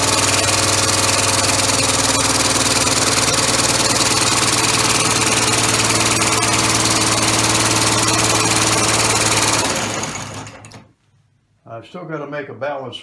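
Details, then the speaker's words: Three-cylinder orbital compressed-air engine with a single-shaft push-pull valve, running on air without a balance wheel: steady even slapping about four times a second over air hiss from unpressurized slippers, expected to stop once pressure is applied. "it's a little bit noisy because of the silver is lapping yet but once it gets pressure put to it then that'll stop that slapping noise and it shouldn't be just too noisy then either"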